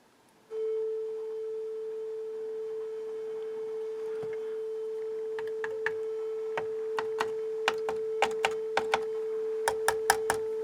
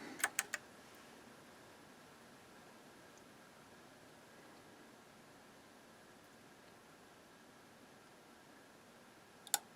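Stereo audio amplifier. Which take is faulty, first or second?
first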